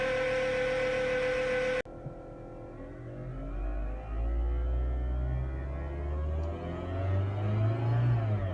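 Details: 2012 Fiat 500: steady high whine at idle, persisting after a belt replacement, with revs rising and falling underneath it. It is intermittent, worse in wet weather, unchanged by electrical loads or steering, and the battery light came on; alternator suspected. Engine whine.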